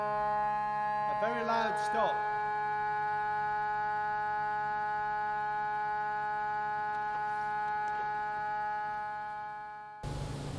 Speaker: part of the ongoing problem with the organ is the ladder stop which is the tuber it was ciphering yesterday that means a continuous sound let's see if it is today